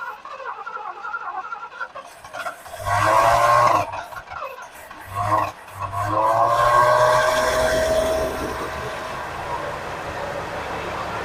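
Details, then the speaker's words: 1979 Lincoln Continental revived after 32 years stored: cranks, catches twice and stumbles, then revs and settles into a steady, even idle, running smooth "like it was just shut off yesterday." Normal idle. "Look at how smooth it's running, guys. It's like it was just shut off yesterday."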